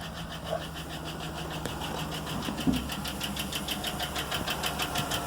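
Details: 2010 GMC Yukon, 5.3L Vortec LS V8, about 87,595 miles, idling with 40 psi oil pressure: a light, steady tick about three times a second, the tap of a collapsed lifter that followed earlier low oil pressure.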